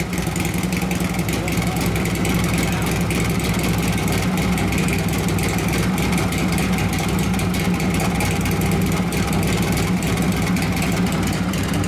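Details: 1983 Harley FXRT 80ci shovelhead after top-end rebuild (evo-style cam, tappets, pushrods, new pistons, cylinders bored .010 over, heads machined, Kibblewhite valves): loud, steady V-twin idle with even, lumpy exhaust beat, no knocks or misses; normal idle.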